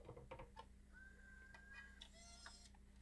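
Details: Bose 3-disc CD changer, in for grinding and stuttering: soft light clicks and a brief faint motor whir as a disc ejects and the carriage moves down to load disc four, with no grinding, so it changes normally.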